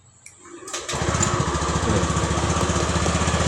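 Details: 2018 scooter (about 8 years old) with a cold-start starter problem, battery at 12 volts: brief starter whir, then the engine catches within a second and settles into a steady, even putter; normal electric start.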